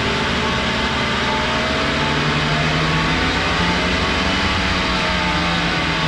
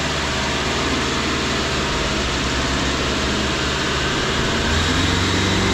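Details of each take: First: 2013 Subaru all-wheel-drive car with cheap aftermarket hub bearings that lasted about two years: steady loud droning hum over the engine without clicking, also heard inside while driving; diagnosed as failed wheel hub bearing, all four replaced. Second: 2013 Subaru running after hub bearing replacement (old cheap bearings failed in about 2 years): steady even drivetrain rush with no droning hum rising with speed; the new hub bearing is quiet and normal.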